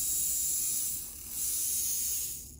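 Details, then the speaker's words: Rewound Athearn Jet 400 HO-scale motor on 12 volts after correcting the winding connections: takes right off with a high, even whine and faint chatter, holding speed before spinning down. More torque than before; the magnet may have weakened with age. "Now let's try powering it on. And it takes right off. It's 12 volts, and I'd say that's running at a pretty good speed."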